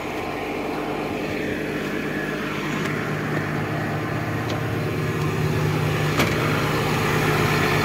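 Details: Old Caterpillar diesel machine after overheating, radiator topped up with water and the dashboard red light no longer blinking: steady low chug at idle, even pace with no hunting or knocking, back to normal.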